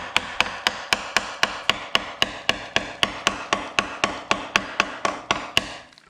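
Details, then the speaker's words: Rear subframe of a 2004 Mazda 3 winter beater, heavily surface-rusted, hammer tap test: sharp ringing taps about four a second, clean with no dull thud; metal still solid. "i mean it's not horrible as you can hear the you can still tell that the frame is definitely still solid um with me hitting it with the hammer"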